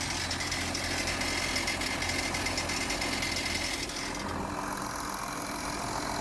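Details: Audi Q7 3.0 TDI diesel ticking from switch-on, an uneven tick about three a second over idle clatter, fading midway; thin white smoke appears from front underside after a few minutes idling, no warning lights; cause unknown.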